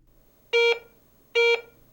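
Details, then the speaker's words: Garrett ACE 150 metal detector in All Metal mode, target passed over the search coil: two short steady mid-pitched beeps about 0.2 s each; ordinary target tone. "Note the difference in the sounds. Targets with a high conductivity, such as most U.S. coins, produce Garrett's exclusive coin alert, while targets of medium conductivity, such as jewelry, nickels, or foreign coins, sound like this."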